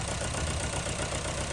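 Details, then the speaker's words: 2010 Honda Civic 1.4 during injector diagnosis: steady idle with an uneven low thump that occasionally stumbles; still the odd misfire on cylinder 4, none on 1, 2 or 3. "you can see that we still have the odd misfire and cylinder 4 but nothing on three nothing on one another two"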